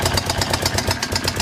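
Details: Suzuki DR750 single at idle: big thumping with a hard knock on each firing pulse, about eight a second; knocking, source unknown.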